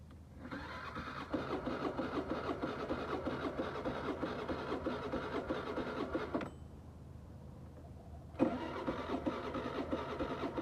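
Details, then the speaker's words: New Suzuki scooter on electric start: starter whirs and engine turns over but never catches; compression checked good with kickstarter, battery seems weak, and it later started on the kickstarter. "it cranks over but doesn't want to start"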